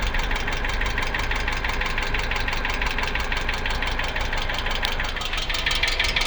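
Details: 2008 Hyundai Accent: steady idle with an even tapping about twice a second riding over the engine note; engine knock, cause unclear.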